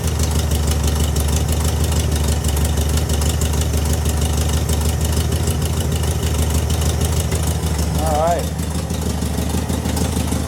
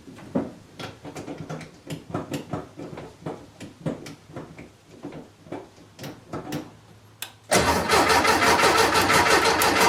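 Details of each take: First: VW Beetle fitted with a new Pertronix distributor and coil, carburetor adjusted a quarter turn: even, steady low chug at idle with a regular beat, no misses, brief chirp; sounding much better, though owner says it backfires when revved, suspects lean. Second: VW Beetle after installing a new Pertronix distributor and coil, fresh gas added; steady starter chug about three compression beats a second, never catching; fuel smell present, owner suspects timing is off and turns to static timing.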